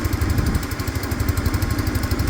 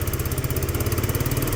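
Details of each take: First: Peugeot Tweet scooter with a new ignition fitted, tested on a power pack. Quick, even single-cylinder putter at idle, steady in pitch and rhythm; the engine sounds good. Brake lights work, but the horn and indicators don't. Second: Peugeot Tweet scooter with new ignition, single-cylinder engine idling slow and lumpy with steady low thud; idle set too low, needs raising; rust converter burning off exhaust.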